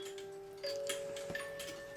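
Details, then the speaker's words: Swiss-style German clock, extra weight added: ticking with sparse, sustained music-box notes well below normal tempo. Owner suspects the music box, teeth not catching closely enough, and plans to move the gear closer. "so you can see how slow it's going now I think the music box itself is messing up"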